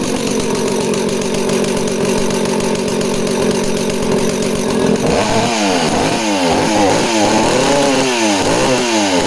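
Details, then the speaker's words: Danarm 36 two-stroke chainsaw revving hard and blipping the throttle, rhythm breaking up with occasional pops and misfires; owner suspects the primary coil, unconfirmed. "so real Thumper and a banger of an engine but you can hear it's just got that occasional popping and misfiring so I'm thinking that's off the primary coil"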